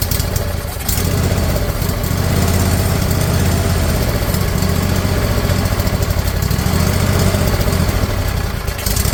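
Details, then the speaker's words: Briggs & Stratton Intek V-twin replacing a blown Kohler Courage in a mower, first run: steady even low thump at fast idle, no knocks or misses; runs, some smoke from blower housing. "Wow. Okay, that's good. I'm convinced it runs"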